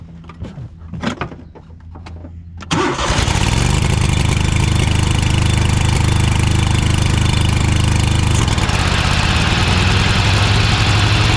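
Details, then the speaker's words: Cub Cadet GTX 2100 lawn tractor with front-drive PTO, after replacing the broken PTO belt; after handling noise it fires up and runs steady and even, no slipping squeal or clatter; blades heard turning; normal running. "so it sounded like she's doing okay but because this has a pressure pressure sensitive switch that turns the PTO ie the blades off if the rider is not sitting on their I can't really see if the blades are if the belt is working properly but I can hear the blades turning"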